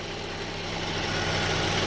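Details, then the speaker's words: 2002 Honda CR-V 2.4L idling steady and even with a smooth low hum, no misses or hunting, after rough idle was traced to the upstream (pre-catalytic converter) air-fuel oxygen sensor; idle air control valve did not need replacing. "but the engine is running perfect I don't have to replace the over there"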